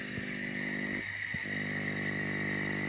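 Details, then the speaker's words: Aquarium air pump resting on scissors, before silencing in a jar; steady buzzing hum with fast uneven rattle on top as the pump vibrates against the loose metal beneath it. "see it ends up it's actually vibrating off the scissors yeah so we're going to stop that noise once and for all"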